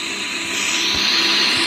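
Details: Air conditioner running with a loud steady hiss of rushing air and a thin high whistle on top; noisy unit, cause unclear.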